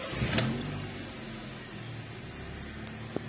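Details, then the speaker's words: 2005 Honda Jazz VTEC at idle with AC off: steady, even low hum with no knocking, rattling or squeal, normal; owner reports a noise only when the AC is on. "Lor saat mesin dinyalakan tidak ada suara apa-apa atau suaranya bagus normal saja"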